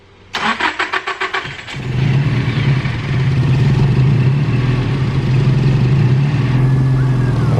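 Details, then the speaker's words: Nissan S15 SR20 VCT engine after VCT sprocket replacement, previously quiet cold and noisy once warm: brief crank then steady even idle, still no ticking or rattle after about five minutes warm; fixed. "so far it is silent Doug it's so it's been about five minutes now and still no noise so that's a success"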